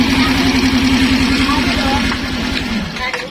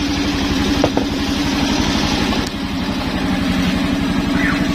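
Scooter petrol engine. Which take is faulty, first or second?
first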